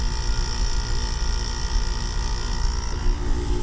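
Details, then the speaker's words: Loud compressor on a curbside GE AEL05LQG1 5,050 BTU window air conditioner, running on no-fan: a steady loud drone with hum and hiss and no knocking. Owner suspects a noisy Qingan-type compressor; gas flow is heard. "It sounds like a stinking one of those noisy Quinn-Gann compressors, I"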